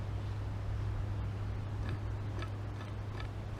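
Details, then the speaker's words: White 2003 Acura CL Type S during timing belt and water pump job: a removed bearing spun by hand ticks faintly and irregularly over a low hum; rough, worn noisy bearing that shouldn't make that noise. "That shouldn't be making that noise."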